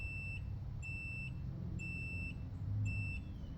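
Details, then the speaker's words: Continuity tester on a deliberately cut test wire: the beeper sounds in short bursts, about four in under four seconds, cutting in and out as the wire is bent, showing how a broken conductor causes intermittent operation. "I'm going to show you how a broken wire can cause things to just work intermittently like right now we don't have a signal but if I just bend"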